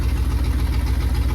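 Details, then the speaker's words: Fox-body Capri with a carburetor, battery swapped: deep, uneven, lumpy idle with stumbling pulse, still sputtering out the carburetor; owner suspects a timing issue, cause unconfirmed. "Inside the car, she's still running like crap. It's still sputtering out the carburetor. I'm thinking there's a a timing issue possibly."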